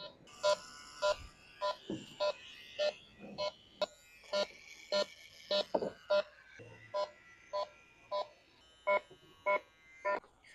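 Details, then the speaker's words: Electronic refrigerant leak detector checking AC on a 450,000-mile Duramax after recharging: even beeps about 100 a minute at steady pace, no frantic speed-up; sweeping, no clear Freon leak found yet. "you basically you'll hear it beeping and then you just Snoop around then where it finds Freon it'll go crazy"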